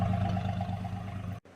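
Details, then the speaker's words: 1960 Ford F-100 after repair, previously barely idled, early morning: low even idle hum, steady, no misses or lumpy beats; running like a sewing machine. "This thing's running like a top. I mean, like a freaking sewing machine."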